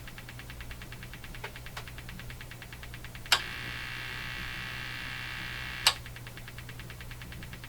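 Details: Hammarlund HQ-180 receiver audio-stage motorboating: rapid, even ticking over a steady low hum, with hiss bursts between clicks. It behaves differently when switching between the AM and CW detectors, and the noise limiter affects it.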